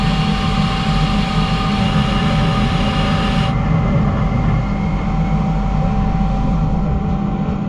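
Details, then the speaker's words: CNC twin-turret lathe (DN Solutions) boring with a carbide bar and 0.0156 nose radius insert, run slower, finish 26 Ra: even, steady cutting hiss over low machine drone, no squeal or rattle; chatter-free boring pass. "so sometimes the smallest change can have a really significant impact we got a 26 now that was just by going from that 31 to that 156 nose radius"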